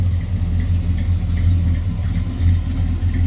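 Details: 1967 Chevy Nova SS clone with a stroker V8, Muncie 4-speed and 10-bolt posi reportedly with 4.11s, electric fan. Deep, steady V8 idle with an even, slightly lumpy beat and no knocks or ticks. Good oil pressure, no smoke: normal idle.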